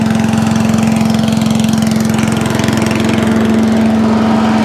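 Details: Allen chipper/leaf shredder small single-cylinder engine with ultrasonically cleaned carburetor, stone cold start on choke after earlier starting issues: runs even and steady with fast buzzy beat, no stumble or surge; running normally.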